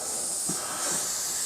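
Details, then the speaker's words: Range Rover L322 front air strut being removed, air line fitting cracked with 12mm spanner: continuous sharp hiss with faint knocks; strut venting residual compressed air. "and then of course because it's got quite a lot of compressed air in it, it's going to flow out."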